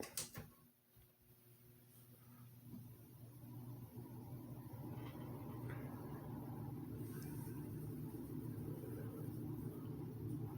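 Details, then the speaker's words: Restored 2006 Lasko 3733 box fan started on low speed: a soft low hum builds over a few seconds into a smooth, even whir with no rattle or ticking. Normal fan running on low. "i'll start fan up now and we'll start it up here on well let's start it up on the low speed"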